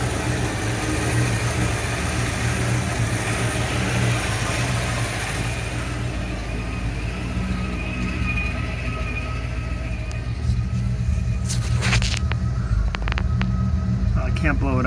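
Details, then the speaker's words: 1979 Ford F100 302 V8 with aftermarket carb, idling about 850 rpm, dropping to 570 in gear: deep, uneven, choppy lope; owner suspects vacuum leaks, ignition parts or timing, though it starts fine. "So this is idling at about 850, and it's really like kind of choppy, and when I put it in gear it goes down to 570, but the idle's very sporadic."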